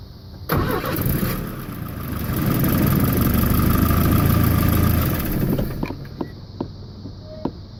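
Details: 1992 Volvo 740 turbo on MegaSquirt 1v3 with an ongoing no-start-when-warm issue, tested with an inline spark tester; starter cranks at a steady pulse about five seconds, speed swelling slightly, but the engine never catches.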